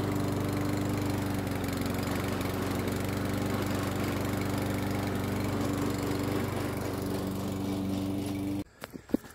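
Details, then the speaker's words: Toro self-propelled mower test run after drive belt replacement: even, steady engine drone with no slipping squeal or knocking, then shut off; new drive works normally. "this mower turned out to be pretty nice looking all cleaned up and it works great now there's a new drive"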